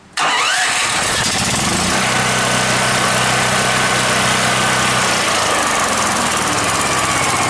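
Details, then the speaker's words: DuroMax XP10000EH generator on propane, maintenance run, idle control on so it idles down without load: catches instantly and settles into a steady, even, low idle with no misses or stumbles. Normal start. "Okay, fires right up. Now it's idling real low because I have the idle control on, which basically, you know, idles it down unless there's demand."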